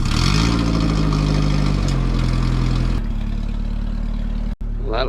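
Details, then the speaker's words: Roadster build on a 1936 Austin 12 frame with a 1800cc Isuzu petrol engine and 5-speed gearbox, start after exhaust and coolant plumbing: a deep, even exhaust note easing to a smooth steady idle, not loud. Normal idle. "How lovely that sounds, but look at the gauges."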